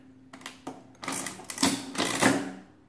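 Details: Wales adding machine after cleanup and repairs: crisp ratcheting clatter in quick even bursts, each cycle completing cleanly with no hesitation; working properly, though the ribbon needs replacing.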